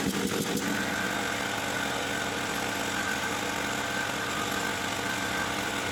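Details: Champion 3500 W generator after carburettor cleaning, having sat all summer with old gas and run only on full choke; brief start-up clatter without choke then steady even drone, no surging or misfires; normal running.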